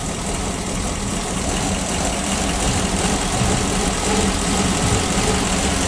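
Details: PAZ-672 bus engine after valve adjustment, with valve covers fitted: steady even idle with low rumble, previous knock gone, no knock standing out; valvetrain quiet, engine healthy.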